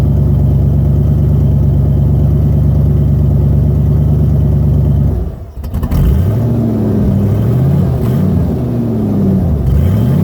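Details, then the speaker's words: 1990 Ford Bronco Eddie Bauer 5.0 V8 4x4, 203,000+ miles, no exhaust past the rotted-off catalytic converter: steady fast-idle drone, then revs rise and fall with fuel pump and power steering pump whine tracking engine speed over loud open-exhaust rumble. "It does have a fuel pump whine and a power steering whine, so just be ready to hear squealing like you've never heard it before."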